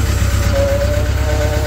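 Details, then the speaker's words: Cat 313 GC excavator at auction: steady diesel rumble with a thin, wavering high singing tone "like playing the violin"; hydraulic whine of unknown origin. "like it's playing the violin in there"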